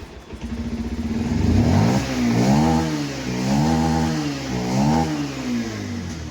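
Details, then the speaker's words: Bajaj Pulsar 125 BS6 that had starting trouble, misfired and stalled on throttle, after resetting the closed-up spark plug gap: starts and revs smoothly and evenly with no misfire or stumble. "अब बिल्कुल सही हो गई है bike."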